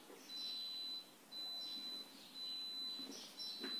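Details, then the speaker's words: Brastemp BRE49E refrigerator plugged in: beeps about once a second while the compressor and fan don't start and nothing runs, so it doesn't cool; diagnosed as a faulty power board. "e era só fica apitando e ela não da partida no motor não funciona o ventilador não funciona nada gente"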